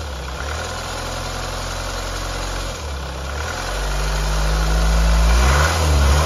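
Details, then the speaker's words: MY23 Hyundai Palisade 2.2 CRDi diesel (R D4HB) at about 16,000 km: a loose, tinny rattle over the idle quickens as engine speed rises, from a failing timing chain. The dealer is to replace the entire timing chain assembly under warranty. "consistent but it sort of rattles as the engine speed increases I'll close the door so you can see what um RPM it is"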